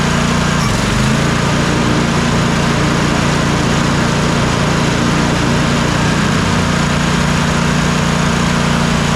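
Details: Troy-Bilt Mustang RZT zero-turn mower twin after replacing a bad ignition coil that caused no spark, power loss and bogging under load: steady, even drone without misses; both cylinders now firing.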